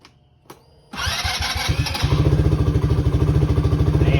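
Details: Motorcycle (170) with a completely dead battery, started with a portable jump starter: brief crank, then the engine catches cleanly and settles into a steady, even idle; a healthy start.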